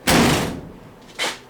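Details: 1959 VW single cab pickup under restoration, door with new seals: one firm, solid slam followed by a lighter thunk, with no rattle; the door closes and seals well.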